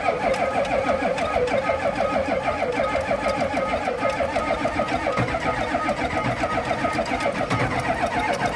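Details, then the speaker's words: 1988 Ford 7.3 IDI diesel just after turbo rebuild and reinstall: slow rhythmic cranking, about one beat per second, churning until it catches without starting fluid; then sounds good, a little smoky. "Took a little persuasion, but it started. No starting fluid, it just went."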